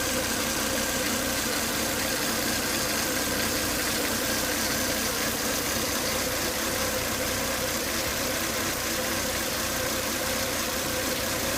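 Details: Volvo S80 2.5T turbo petrol idling after 10–20 minutes running: steady hissy whine, high intake vacuum sucking hard at oil cap, coolant boiling; engine whine at idle.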